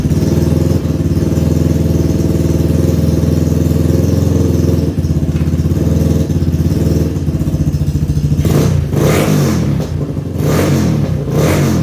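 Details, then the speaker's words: 2011 Yamaha Raptor 250 ATV, sitting about three weeks, new battery, running straight off the carb: single-cylinder runs steadily with a fast rattling starter whir still going; starter solenoid stuck, kept cranking while running, needs replacing. "Yep, that solenoid is bad. So I'll have to be getting a new solenoid. It was still cranking even when it was on."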